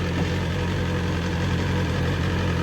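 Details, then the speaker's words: BMW S1000RR with bodywork off, about 566 miles, run on a makeshift setup without its own battery (threw a code): steady even idle, deep drone with open mechanical clatter from the bare engine; normal. "and thinking about that noise that's normal especially with all the body work on"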